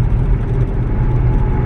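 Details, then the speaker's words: VW Touareg after a free fix of the center driveshaft bearing, cruising 75 to 90: steady even low road rumble with no rhythmic hum, thump or vibration; problem fixed, slight vibration possibly from worn tires, car seat noise. "But there is 75. 80, 85, 90, and I'm not feeling any vibration."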